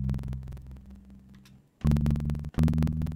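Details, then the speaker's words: Music playback via VoiceMeeter Banana with Focusrite Scarlett 2i2 as hardware out, default settings: sharp evenly spaced crackling clicks caused by buffer size; larger buffer spaces the cracks further apart. "here's the problem with everything default settings once everything is routed through voice beat or banana using the focusrite as a driver as the hardware out we get crackling like this"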